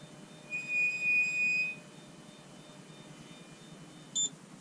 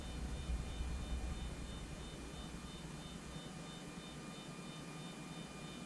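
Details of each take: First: Anycubic Photon Zero resin printer: a high, thin squeal with a brief chirp as the Z-axis moves, from the Z-axis lead screw nut. Flipping the nut removed the noise. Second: Anycubic Photon Zero resin printer Z-axis after flipping the leadscrew nut: steady motor hum moving up and down with no squeal even when pushed, where before it squealed badly; normal quiet Z-axis travel.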